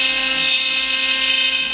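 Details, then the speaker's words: CNC router cutting a plaque, middle cut after the roughing cut. Steady high-pitched spindle whine holding an even pitch, no chatter or grinding; cutting normally. "I'm not quite sure how well you can hear me but this is the machine at work"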